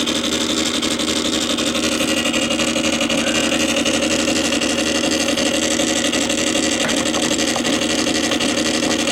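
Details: Columbia Graphophone AH after a motor service in which both dry springs, with powdered grease, were cleaned, running with no record: steady, even whirr with constant gear chatter and no speed hunting. The spring motor runs smoothly, just noisy gears.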